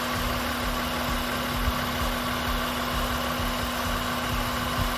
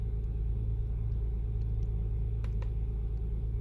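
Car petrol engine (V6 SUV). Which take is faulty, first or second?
second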